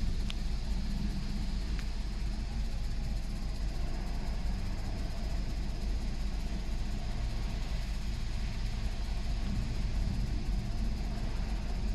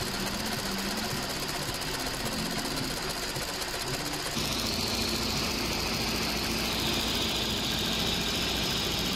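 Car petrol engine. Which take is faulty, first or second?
first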